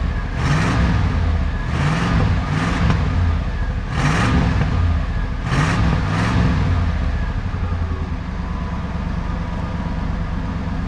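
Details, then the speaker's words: Old Ford F-150 V8, seized less than a month earlier, after correcting the plug wire firing order to 1-5-4-2-6-3-7-8: quick throttle blips over a steady idle, firing evenly enough, now running halfway decent. "now it's running halfway decent might as well throw a new filter on there not too bad she's old one legger but that's okay"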